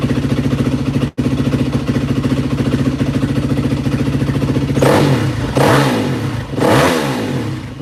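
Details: 2003-2005 Yamaha WR450F just after a carburetor rebuild, started with a little choke: firm, even thumping idle, then three clean throttle blips that rise and fall smoothly; engine runs healthy.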